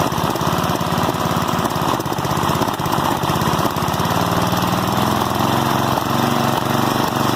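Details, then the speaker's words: 1988 Westwood T1200 mower, 12 hp Briggs & Stratton single, after governor spring replacement and tension set, little throttle: loud even fast chug, no hunting or surging; running right, idle a touch high. "So yeah, I think that's running about right. Probably idling just a touch too high, but I'll leave it as that for now."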